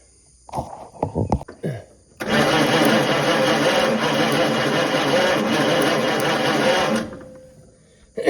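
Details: Original 1934 Ford coupe flathead, sitting 20+ years, before plug wires and fuel reconnected: about five seconds of steady cranking at three to four turns a second, never catching; cranks, no start.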